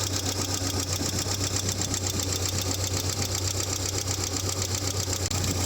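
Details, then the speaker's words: Dacia (Renault) 1.6 16V petrol idling: light, steady clack about four ticks a second; mechanic suspects a noisy hydraulic lifter, not confirmed. "une petite Dacia il un claquement moteur on va aller voir mais je pense que c'est bien un pousir hydraique qui fait le con tu l'entends le petit clacac"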